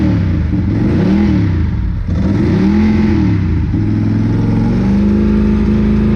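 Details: 2002 Ducati 748 V-twin, crashed and neglected, fuel sender and pump wiring repaired, new internal fuel hoses after water-contaminated fuel: first start gives a strong, even beat rising and falling cleanly with throttle blips, no stumble or misfire; healthy.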